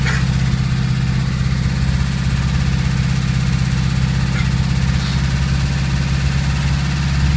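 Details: Worn rod bearing shells knocking in a VW Golf 2 1.3 engine: a dull, uneven knock about two or three times a second, low in the engine, over a steady idle.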